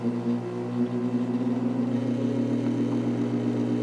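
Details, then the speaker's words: 1949 GE Vortalex 12-inch desk fan at high speed: steady hum with fine buzz riding on the drone, worse once warm; motor buzz attributed to loose stator windings moving. "it develops an annoying buzz. Hear it?"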